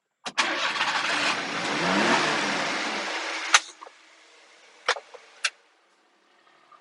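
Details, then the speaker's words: Super-low-mileage Japanese import mini truck, apparently a Daihatsu, started in neutral: brief crank, catches at once with a clean, even pickup and settles quietly; normal start and idle, runs great. "and it runs great"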